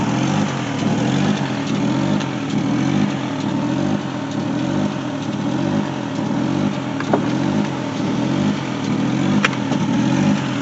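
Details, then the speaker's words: 2002 Chevy Trailblazer at idle with check engine code P0507: uneven pulse roughly once a second as rpm hunts up and down; rough idle with surge, later fixed by replacing throttle body, one ignition coil pack and fuel regulator. "as you can see, the RPM needle at idle is going up and down, up and down, up and down, and up and down. So this is one of the complaint by the customer, that the RPM is going up and down."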